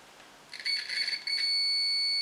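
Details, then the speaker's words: DT-9205A multimeter in continuity mode, which also lights an indicator lamp: steady high-pitched beep after a short stutter as the probes touch, holding clean; continuity tester working normally. "еще что плюс в этой модели то что в режиме прозвонки помимо звукового сигнала происходит и загорания лампочки"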